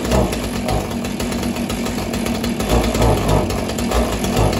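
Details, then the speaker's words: Husqvarna 445 chainsaw, first start after 10+ years unused: coarse buzzy two-stroke chatter, fairly steady with small surges, running on its own while carburetor diaphragms get fuel through them. "I'm gonna let it run for a bit you can hear it hopefully you can hear me right now but I'm gonna let the diaphragms really get the gas running through them again"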